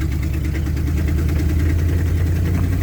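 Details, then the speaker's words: 1995 Ford F-250 4x4 plow truck, last on the road in 2016, running rough with a deep, uneven, lumpy low-speed rumble; exhaust leak, transmission possibly low on fluid, won't move off until high RPM; cause unconfirmed. "it runs it ain't huge exhaust leak it doesn't run very good"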